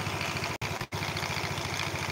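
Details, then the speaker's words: Scooter with oil seeping, most likely from the left crankcase seal: loose, uneven clattering rattle from the CVT belt drive side at idle; caused by a worn, sloppy roller housing bushing. "jadi teman-teman dengar suara kempelotok berisik Itu masalahnya di rumah roller ini dia sudah koblak"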